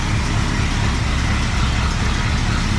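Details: 1961 Cadillac 390 V8 running with no muffler and pea-shooter exhaust, checked after glitter was found in the oil: deep, loud, even burble, no ticking or knocking, quiet up top, oil pressure over 20; running healthy.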